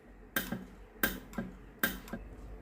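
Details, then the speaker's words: Philips GC9622/20 steam iron with no steam output: three sharp isolated clicks about a second apart as the electro-valve operates, no hiss follows; water pump later found faulty. "ผมทำการกดเทสดูนะครับได้ยินเสียงอิเล็กโทรวาล์วทำงานนะครับแต่ไอ้น้ำไม่ออกนะครับ"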